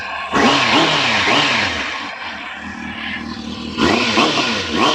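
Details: Warm 600 motorcycle, run ten minutes earlier, revved in neutral: crisp rising and falling revs with clean, smooth pickup and no knocks or rattles. The engine sounds healthy.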